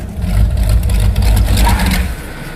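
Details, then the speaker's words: Rear-engine mini truck V8 with Demon carburetor: uneven loping rumble sags and dies after two seconds on braking; rear float level too high, fuel pulled out of the boosters with throttle shut floods and stalls it. "Our demon carb basically is leaking every time I brake even remotely hard. Fuel is being pulled out of the boosters into the carb. And because the throttle blades are shut, it's making the engine shut off."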